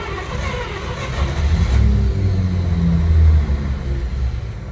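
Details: 1953 Pontiac Chieftain, cold start in freezing temperatures after sitting about a month: a deep, uneven low rumble as it catches and labours at low revs, then stalls. The owner suspects the freezing cold is contributing.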